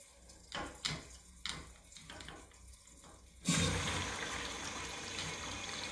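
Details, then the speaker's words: Urinal flush valve that flushed continually, after replacing the bad diaphragm and adjusting flow: a few light clicks, then a steady rush of water without sputtering or hammering, expected to shut off automatically; normal flush. "we'll see if it'll stop should get to the point where that pressure automatically stops"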